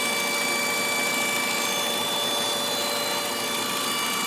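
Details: 1997 Ford Escort, 154k miles: loud steady high whine from the back of the engine, only when warm; pitch shifts with slight throttle but not heavy throttle; EGR vacuum line removal changed nothing; source unknown.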